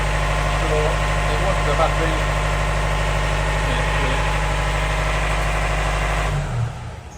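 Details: Canal widebeam narrowboat diesel at idle after fixing a no-start caused by an inline fuse between starter relay and starter solenoid: steady even idle with smooth low beat, no misses or knocks, then winds down; healthy.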